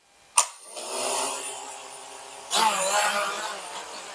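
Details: Vivitar Skyflow 2025 drone started without GPS satellites and switched to altitude hold mode (one beep): a sharp click, then an even buzzing motor whine that rises sharply with throttle for a normal takeoff.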